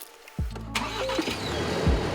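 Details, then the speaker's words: 2019 Ford Ranger just fitted with a new Optima battery: brisk crank catches within a second and settles into a steady even idle without struggling; healthy easy start. "Watch watch how good that Optimum battery starts this thing doesn't even struggle"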